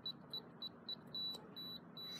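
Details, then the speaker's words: FE595 keypad padlock: after the programming code was changed to 000000, the code 1 2 3 4 is entered as several short high beeps. Longer steady tones follow and the lock does not open, rejecting the code. "if any programming fails we would get a red light but now this will be the new code see I type 1 2 3 4 it's not gonna let me in"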